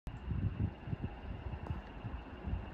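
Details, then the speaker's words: 3-year-old York 22 SEER inverter heat pump mini split wall unit running with an uneven low throbbing rumble and a faint thin squeak from a broken, off-balance blower wheel, which was then replaced. "you hear that noise that squeaking noise sounds like the wheels off balance"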